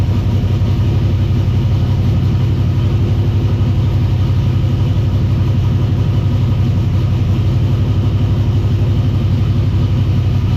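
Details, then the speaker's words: V8 idling just after a very loose belt that was causing racket was tightened, warming up with the temperature gauge not reading: steady, even low rumble with no knocks, squeals or chatter; a smooth, healthy idle. "This belt down here is loose as anything. So let me tighten this up, and I'll get back to you. That's better."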